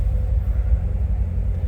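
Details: 2017 Chevrolet Corvette Z06 with 3,142 miles, no warning lights: deep, steady V8 rumble at idle with an even beat and no knocks, ticks or misses; healthy idle.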